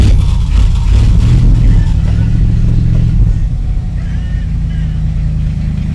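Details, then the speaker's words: 1984 Dodge Power Ram whose distributor, coil, ignition box, carburettor and fuel system have been replaced: a deep, uneven rumble revs, then sags and weakens as the engine dies out with fuel present. Owner suspects a fuel and electrical fault mix; unsolved. "[Music] it's like it's just dying out but there's fuel down there"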